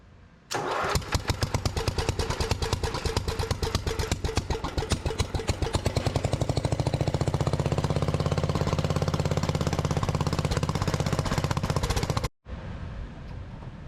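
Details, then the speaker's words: Lincoln Weldanpower AC/DC welder with Briggs & Stratton 16 hp engine, sat about three years outside, new carburetor, choke on; catches after a few pulls, runs steady but high and unsettled; idle solenoid needs adjustment. "right she does run I'm gonna have to do some work on adjusting the solenoid for the it's called I think it's called automatic idle and high idle"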